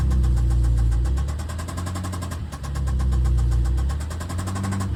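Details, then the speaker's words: BMW S63B44 twin-turbo V8 running: a deep, steady knock in time with the engine over a rough, lumpy run; rod knock from a worn connecting rod bearing. "we got a S63 V8 twin turbo with rod knock."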